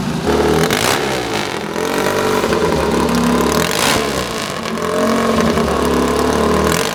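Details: Replica of Bud Ekins' 1963 Triumph TT desert racer, full engine rebuild, new Amal 389 monoblock carbs, kick-started: loud twin barks through repeated throttle blips, rising and falling cleanly, no knocking or clatter; healthy engine.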